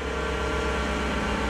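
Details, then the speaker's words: Salvage-auction car running at idle: constant droning hum with a faint whine on top that changed with RPM; source unknown, not the A/C compressor; could be an accessory or the transmission. "because that noise, it changed with RPM. Could be an accessory, I don't know though. That could be in the transmission or something."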